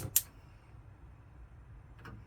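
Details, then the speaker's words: 2012 Swift Challenger 480 caravan gas hob, knob turned and pushed in to light: a sharp single tick, then a quiet pause and a couple of faint ticks; the igniter is sparking normally. "And we'll just show you the gas hobs working. So you turn the knob, push it in,"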